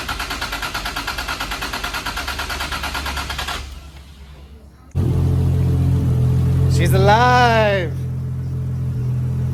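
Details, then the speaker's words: 2JZ-GTE swapped Toyota Chaser GX100 first startup after wiring fixes, untuned and warming to operating temperature while burping coolant: settles into a steady, even idle pulse with no knocks or ticks; runs cleanly, ready to tune. "Sounds good. >> That sounds good. Ready to tune. >> Just ready to tune."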